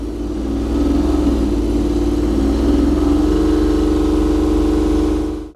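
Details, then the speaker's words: BMW i3 REx range extender engine (small two-cylinder) fired up with cover removed, running in emissions mode; smooth steady hum rising slightly in pitch before shutting off. Normal running. "There you go. That's what the range extender engine sounds like."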